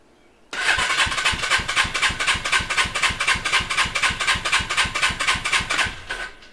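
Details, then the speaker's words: Custom Suzuki GS450 Scrambler with a running issue, compression test at full throttle with choke off and gauge in spark plug hole; even starter cranking, strong steady puffs, reading immediately 140 versus 120 earlier; normal cranking compression. "that one immediately went up to 140 so we have a little bit of a difference here right off the bat"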